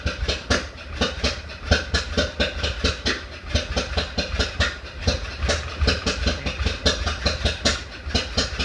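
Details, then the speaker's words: 1931 Ford Model A after 10+ years stored, weak battery, maybe flooded, timing fully advanced, in neutral; rough uneven chuffing with sharp pops three to four a second back through carburetor, then dies; owner suspects sticking intake valve. "all right died but carburetors popping back through the carburetor I can't tell if it's a valve ticking or if it's carburetor I think it's a valve sticking"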